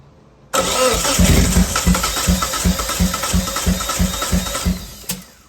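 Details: 1997 Eclipse GSX with 43 psi fuel rail pressure, cranked while checking spark on cylinder 1: steady cranking at about three beats a second for five seconds, never catches; crank-no-start, and cylinder 1 has spark.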